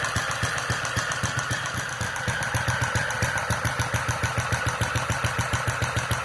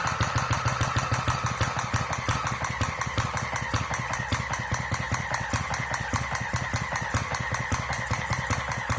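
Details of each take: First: Centaur model engine (Westbury design, open-crank horizontal cylinder), electronic ignition and fuel injection, running around 900 RPM while still cold, mixture not centred yet: crisp, evenly spaced firing with steady mechanical clatter, running smoothly. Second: Centaur model horizontal single-cylinder engine with electronic ignition and fuel injection, not yet warmed up, slowed to about 650 rpm; slow, lumpy, unevenly spaced firing close to stalling, with spit-back the owner attributes to a too-weak mixture when cold.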